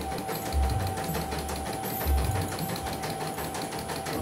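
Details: CNY embroidery machine from Demak, complaint of abnormal rotation and unsteady bobbin, test after bobbin case and belt replaced; fast, even stitching chatter over steady low thump, no knocks or catches; running normally.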